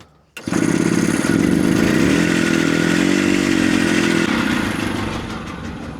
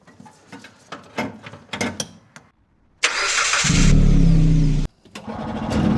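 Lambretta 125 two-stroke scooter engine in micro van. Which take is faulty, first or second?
second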